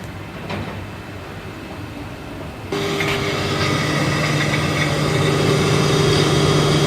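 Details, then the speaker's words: Tube-well deep well motor, previously very noisy, after both bearings replaced and refitted: quiet start, then smooth even hum and fan rush with no grinding or rumble; normal running, bearings healthy. "Motor on हो गई है और इसमें किसी तरह की कोई आवाज हमें सुनने को नहीं मिल रही है"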